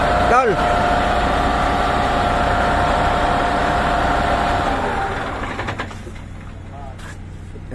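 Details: MAN diesel dump truck, revived after six months sitting with electrical wiring repaired, idling: steady low rumble, even beat, no knocks or misses, then settles quieter; normal idle.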